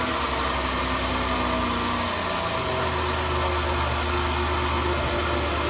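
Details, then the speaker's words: 2003 Mazda Tribute 3.0 V6 idling after a fuel injector O-ring and upper plenum gasket job for a fuel odor: a faint thin whine fades in and out over a steady idle. This is an intermittent alternator whine the owner has been putting off fixing. "still got that alternator wind comes and goes it's a fun job so I'm been putting it off until it's a real problem"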